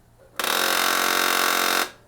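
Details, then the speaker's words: HP LaserJet 1018 printer at power-on: loud harsh grinding buzz for about 1.5 seconds from a gear jammed and not rotating, something stuck beneath it; toner cartridge removed to reach it. "and here you see this gear is this gear is getting stuck okay it's not rotating and something something stuck down"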